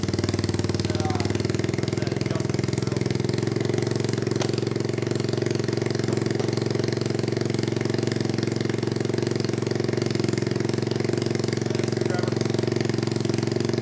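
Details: 1986 Honda Fourtrax 200SX single-cylinder with a resleeved cylinder, new piston, rings and gaskets, on first start during break-in: uneven, lumpy thumping at about three beats a second, running rough. Owner suspects a new spark plug would help.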